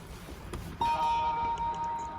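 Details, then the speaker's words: Nissan Leaf left frozen after New Year holidays, unused about five days: button press gives one faint, barely audible chime; small 12-volt battery is flat. "Слышите, какой звук? Еле-еле."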